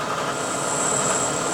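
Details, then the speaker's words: Milling machine cutting a pocket by dials only: steady spindle hum with faint high hiss and thin tone as the cutter starts the 5/1000ths finishing pass along the wall to 375 on the X dial. Normal light finishing cut. "You can hear it just starting to take a little cut. We're taking this last 5/1000ths off."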